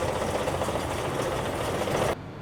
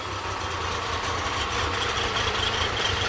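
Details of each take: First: Honda 30 outboard with bent propeller shaft from impact, carburetors cleaned but untuned, rough idle with rapid indistinct ticking knock; knock suspected in lower unit/driveshaft. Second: Honda 30 outboard motor after lower unit overhaul, carburetors cleaned again: smooth, steady idle with an even low drone, no knocks or rattles; cooling and thermostat working, running normally.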